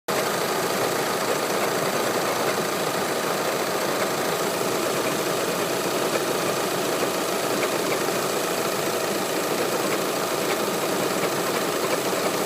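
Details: Audi A4 (8K) 2.0 TDI Multitronic at idle, recorded outside with bonnet open: steady diesel idle with constant hissy, rattly clatter on top, source not identified — abnormal engine noise at idle.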